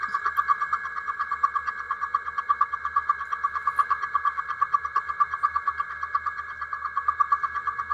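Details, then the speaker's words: Milling machine at 200 RPM, feeding 2 inches per minute, 3/8 inch deep slot cut into new metal with the vise tightened: steady ringing tone near one kilohertz pulsing about twice a second as the cutter bites; slight, acceptable vibration. "Okay, there you can hear the change. You can see the chips coming off. And there's the end of the cut. So I did get some vibration. It wasn't bad."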